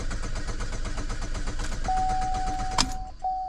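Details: 2013 GMC Terrain / Chevy Equinox, 2.4 engine; steady starter chug about twice a second but it never fires; codes for lean condition, fuel pump control circuit and misfire, fuel pump not heard running; crank no start.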